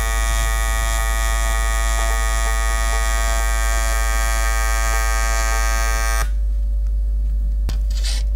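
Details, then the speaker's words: Vector London 2400 AC/DC TIG welder on AC at a lower frequency setting: a steady, deep electric buzz with a fixed pitch that holds evenly, then cuts off; normal AC TIG arc buzz. "Oke jadi suaranya kalian bisa dengar dia lebih Deep sudah terbentuk levelnya"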